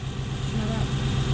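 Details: Toyota 1UZ-FE V8 hotrod idling after fuel leaks were checked; low, even idle with a steady beat, no misses, hiss or knock, "purrs like a kitten", a normal idle.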